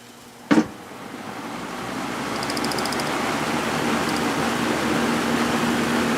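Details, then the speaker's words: Early-1980s Sears box fan with plastic Marco motor, previously seized, now cleaned and oiled, on high drawing 2 amps (rated 2.2): click at switch-on, then a smooth building rush of air with almost no motor noise; healthy fan. "wow this thing doesn't make any that motor doesn't make any noise at all usually these have a cool sound that they make"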